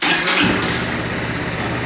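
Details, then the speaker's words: Modenas Elegan 250 scooter, right after fitting a new YTX12-BS battery (meter showing 12.3 V): a quick crank catches almost instantly, one press only, settling into a steady, even idle with no stumbling and no dashboard restart; normal start and idle. "Tak ada dah. One kick only."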